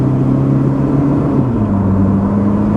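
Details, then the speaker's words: Pontiac Sunbird after repair, taking off on the road to 50 mph at full throttle: the engine note climbs smoothly with no misfire or stumble. Normal acceleration; the idle is still a little low. "not a problem getting up to speed anymore yeah not an issue hell we're already going 50 floor it yep good guys I'm going to say she's good"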